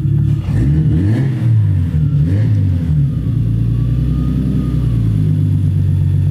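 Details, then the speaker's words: 1985 BMW E30 with turbocharged 2.5L M50NV (Megasquirt, Holset HX35, 750cc injectors): quick throttle blips rise and fall cleanly then settle to steady idle, which stabilizes as coolant temperature rises; engine sounds healthy. "yeah there you have it it runs you see as the cool on temperature comes up it idle is a little bit more stable"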